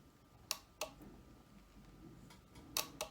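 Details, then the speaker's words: Ford 5.0 EFI harness bench test, jumper between pins 22 and 20 switching the fuel pump relay: sharp single clicks in pairs as the relay pulls in and drops out; relay works when commanded. "you can see now I disabled it. So we know that works. As long as the computer tells it to come on, that will come on."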